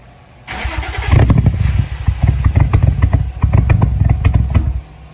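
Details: Nissan 350Z, jump-started after camshaft sensor and cheap (snapped) crankshaft position sensor installs, previously a no-start: it cranks and catches, chugs lumpily, then sags and cuts out within seconds, and dies when given gas. Stalling.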